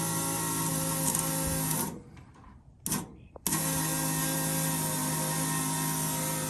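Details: 1992 Chevrolet S10 with LS engine swap, before its first start, fuel pump hot-wired: a steady electric whine cuts out briefly, then resumes evenly; the fuel pump is priming and building pressure normally.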